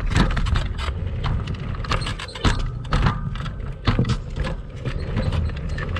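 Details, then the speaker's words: Kugoo Max Speed electric scooter ridden off-road on sandy rough ground, camera on the front stem: irregular clunks, knocks and sharp squeaks on every bump, the whole machine rattling; noise points to the front fork, and the rider blames a squeaking spring mechanism. "я думаю вы увидели что шумов достаточное количество там практически наверное весь видеоролик слышно как все громыхает дребезжит"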